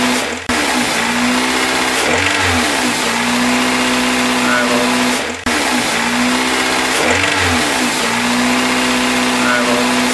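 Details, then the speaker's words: Toyota VVT-i engine, 2001–2018 type, revved in blips: a hard small hammering knock rides over the rising revs, sometimes intermittent; owner suspects bad bearing damage, rod knock. "In that area I can add more revs and soon we can hear small hammering sound. It is that."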